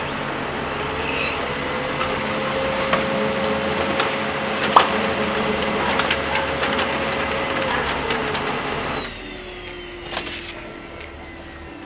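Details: Brother DCP-L2540DW laser printer (page count 277,000) after a fuser assembly replacement: a smooth, even print cycle with steady whirring and no grinding, then winding down.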